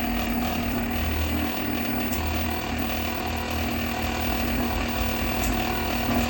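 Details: Megmeet Mite series inverter PCB after matching and uploading the compressor data: an even, steady inverter compressor drone with a low hum and no knocks or rattles, and no error. Normal running.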